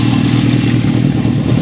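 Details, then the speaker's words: 1972 Honda CB750 Four, idle being tuned, exhaust temps 127–192: loose, fast rattle over uneven four-cylinder idle that doesn't settle; rattle attributed to the starter area. "That rattling though in that starter. It's looking a lot better though, isn't it?"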